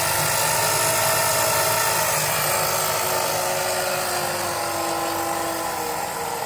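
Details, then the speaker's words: Sieg mini lathe factory motor run on about 50 V with a new belt, head unmounted. The electric whine sags as the motor slows, and smoke appears. Polyurethane coating helped but shorts likely remain in the windings; it is being replaced with a brushless motor. "Oh, I hear it slowing down. And I am seeing some smoke coming out over here."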